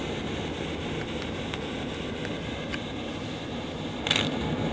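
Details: Fender Twin Reverb reissue amp, normal channel: low hiss and rumble with scattered sharp crackles and a louder burst, worsened by banging on the cabinet top; intermittent contact noise traced to a dirty valve socket.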